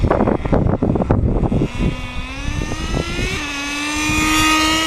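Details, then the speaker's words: Rebuilt RedCat Tornado S30 nitro RC truck, cold after sitting, running a bit rich: engine screams up then drops cleanly into second gear and pulls smoothly, no slipping; two-speed transmission shifting normally. "transmissions working great so she's a little cold-blooded getting going"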